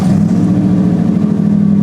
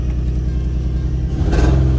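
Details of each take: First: Cheap daily-driver challenge car after tune-up with new cap and rotor, plugs and wires; steady even idle hum with no stumbles or misfire, sounding good, maybe slightly improved; normal idle. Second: Cheap daily-driver challenge car, check engine light no longer showing; two throttle blips, lumpy uneven low idle, sounds terrible but no miss, seems better.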